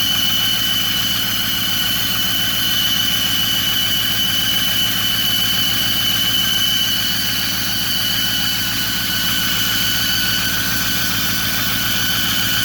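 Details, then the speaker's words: 2008 Ford F-350 Super Duty 6.4 diesel at idle: constant-pitch high whistle over a ticking idle; disappears when the turbo actuator is pushed, but the mechanic identifies an exhaust manifold leak. "pero el problema que tengo aquí en los espacios del estados manipule ese es el problema"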